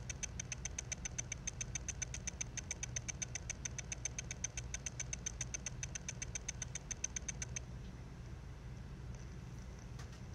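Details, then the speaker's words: Mac mini's dying internal hard drive, recorded by phone resting on the case: rapid evenly spaced ticks over a low hum as the read head seeks the track, then it gives up and stops. "and then you'll hear some ticking sounds and those sounds i'm pretty sure are caused by the read head moving back and forth looking to see if it can find the track that is trying to read"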